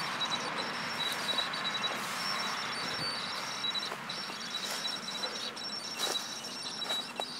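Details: Canon 650D with Canon 18-135mm STM lens, image stabilizer on in both video and photo mode: a steady high-pitched hiss with faint ticks throughout. Cause unknown; abnormal image stabilizer noise.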